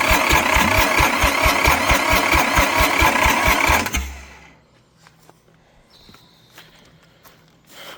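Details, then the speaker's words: Long-abandoned International 284/285 4x4 diesel tractor, fuelled, primed, with glow plugs refitted and idle-up not connected: steady cranking at about two beats a second, no firing, then silence. It turns over without starting; owner wants more throttle and glow plug. "Oh man, we're so close. All right, I just got to give it think a little bit more throttle. Give it some more glow plug. Super close."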